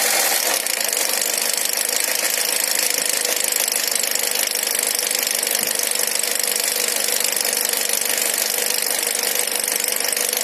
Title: Стук в моторе MR20 Nissan X-trail